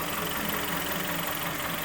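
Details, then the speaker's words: Kia Sportage 3 2.0 G4KD after engine overhaul, first start, warming up: even, steady, quiet idle heard from underneath, no knocking or ticking, everything dry; normal idle after repair. "Прогресс. Все сухо. Все тихо. Прогревается пока. Все хорошо."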